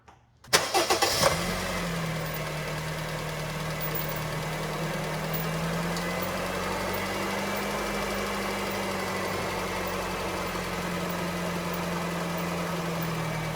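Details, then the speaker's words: 2013 Honda Fit, about 183,000 miles, after replacing the catalytic converter-to-resonator pipe gasket: quick start, then a smooth, even, quiet idle with no puffing or ticking and no soap bubbles. A normal idle with the exhaust leak fixed. "it sounds a lot quieter I don't see any bubbles right off the bat I'm happy okay so here's the finished product see it's 301. much quieter it's normal we're good to go"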